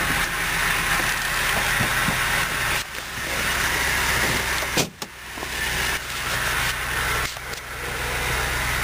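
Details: 2006 Dodge Durango Limited, 58,825 miles, just started; steady, even idle hum with brief dips from nearby handling, no knocks or ticks. Normal idle.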